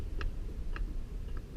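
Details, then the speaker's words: Mitsubishi Eclipse GSX engine (30k miles, 387hp) on a stand, crank turned slowly by hand: a few sharp, isolated clicks as a piston shows play, suspected cylinder 1 or 4. Piston knock. "yep it has some play I don't know if you guys can see that but I can hear it now there's my noise alright diagnosis confirmed"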